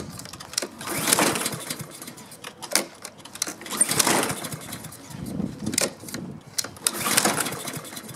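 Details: Husqvarna self-propelled mower with a Honda engine that won't start. Repeated recoil pulls spin with no firing at all: no spark, traced to the kill switch grounding the ignition coil.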